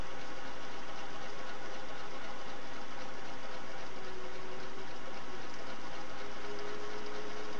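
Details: Singer Model 401A sewing machine, run with the foot pedal pressed by thumb at varying speed. Quiet, smooth motor hum rising and falling with the pedal, with no knocks or rattles; runs fairly quiet and healthy.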